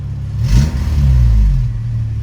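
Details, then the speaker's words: Honda FA5 Civic after an engine swap, first start with check engine light on: engine blips from idle with a raspy, puffing edge on the rev, an audible exhaust leak. "All right. We got a little check engine light. Yo, pretty dope, pretty dope. Oh, okay, you can hear the exhaust leak."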